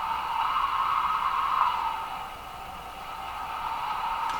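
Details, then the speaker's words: Westinghouse 535 tube radio before IF alignment, no antenna connected: steady windy hiss like a sound conveyed down a tube, swelling and easing without rhythm, seemingly stopping or starting with the volume control; spurious oscillation, cause not pinned down. "So that has a characteristic sound too. It sounds a little like, a sound conveyed down a tube. It has that kind of sound to it."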